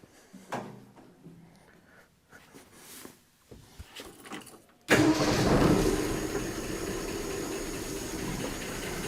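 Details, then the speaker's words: Replacement Ford 240 six in a 1967 Bell Telephone service truck at idle after first start: fast uneven top-end clatter, about three taps a second, despite full oil and oil light off; loose rockers needing valve adjustment. "H I do not like that I don't know why those lifters Are CL clattering so much I mean I guess it's possible they could just be stuck"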